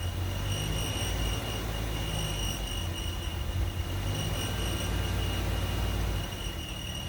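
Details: 2015 Ram 3.6 Pentastar, 115,000 miles, idling after about half a mile of driving: steady high-pitched squeal that stops 30–60 seconds after stopping. Accessories, idler pulley and belt checked and ruled out; cause unknown.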